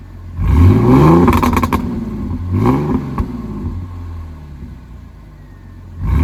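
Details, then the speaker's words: Supercharged Mercedes AMG V6 with 82mm throttle body, 550cc injectors, 175mm crank pulley and 65mm supercharger pulley, not yet tuned: three sharp, clean free-rev blips falling back to a steady idle, no misfire; healthy strong revving. "Figured I'll give you guys some fuel revs. Those revs sound really good, honestly."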